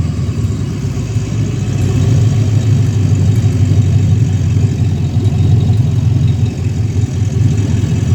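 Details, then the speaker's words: 2016 ambulance L96 6.0 V8 running on the floor; strong steady roar held at raised revs, no knocks, ticks or misses, smoke-free, nearly new engine; thin intake audible; normal revving. "Well, it sounds like it wants to take off. That's a healthy, perfectly smoke-free, brand new almost engine."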